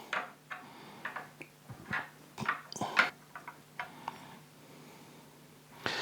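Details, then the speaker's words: Fender Jazz Bass setup: fret rocker tipping over frets gives light, irregular clicking chatter on frets 16 and 19, which stand slightly high and might be worth filing to allow lower action and cure fret buzz. "a little bit of chatter on Fret number 16 so I'll make a note of that hear that clicking that's fret 19."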